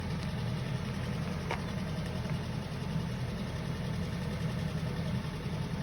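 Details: Suzuki M16A engine, cold idle; low steady drone with a few faint sharp taps riding over it; engine knock when cold, cause unknown.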